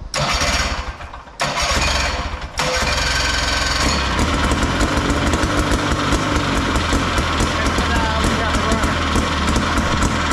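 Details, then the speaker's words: Max 6x6 amphibious machine, 440cc two-stroke rear engine, run with choke on: fires after a few pulls into a steady crisp buzzing idle, a little smoky, no misses; normal running. "oh that sounds great now we use choke shut it off Smokey all right success well now that we know we have a runner it sounds pretty good"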